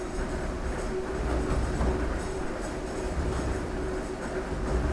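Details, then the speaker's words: Working 1797 grist mill grinding corn: steady low rumble, faint constant hum and soft grainy hiss, no knocks or surges, little vibration; quieter than expected, grinding smoothly. "That's amazing. So it's The not as sound- noisy as you thought it would be. No, but the sound is beautiful. Yeah. It's like, And you can see there's not much vibration."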